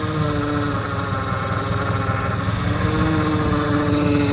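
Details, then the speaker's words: Power steering whine at idle on an Opala with hydraulic steering: a thin steady whine wavering above the engine note, with steering slightly stiff; fluid level confirmed full, so not low oil; cause unknown. "Tá aparecendo um barulho, então, e a direção fica um pouco dura."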